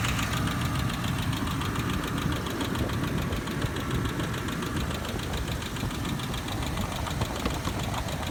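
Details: 2007 Ford Explorer Sport Trac engine at idle: steady idle with a fast, even ticking-knock over a deep engine rumble; cause unknown, owner seeking help.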